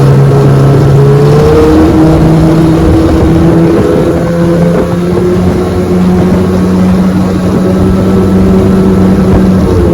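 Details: 1996 Johnson 15 HP two-stroke outboard on a 14-foot Feathercraft, running under load after a carburetor fix: steady, strong drone holding pitch over wind and water, clean with no hesitation; normal running under load.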